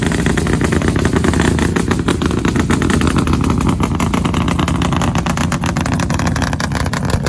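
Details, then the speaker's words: 1965 Ford Fairlane, first run after sitting, new gas tank fitted: loud, lumpy, uneven rumble with an irregular beat and no clean idle rhythm. Rough running, expected to clear up. "she's alive that's it we finally heard her run and she sounds nasty she definitely gotta work some cobwebs out but that's to be expected"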